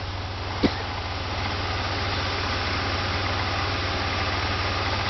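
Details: Pontiac Grand Prix GTP after a used-engine swap: a single tap early on, then a smooth, even low idle with a steady beat and no knocks or misses; normal idle.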